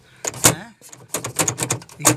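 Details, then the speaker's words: Peugeot Partner / Citroën Berlingo sliding side door panel: counterweight held only by one rivet from factory comes loose, giving irregular sharp metallic clatter when shaken; design flaw, owner fixed with added screw that loosened. Loose counterweight rattle. "originalmente esto viene sólo con ese remache solo de ser de marcha y esta pieza queda suelta y genera ruido todo el tiempo es un error de diseño malísimo"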